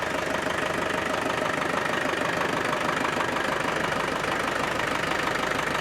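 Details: Land Rover Defender 110 300TDI diesel idling after turbo inspection and boost line and wastegate hose replacement: steady even clatter, regular beat, no misses or knocks; owner thinks it sounds different and can now hear the turbo; normal idle.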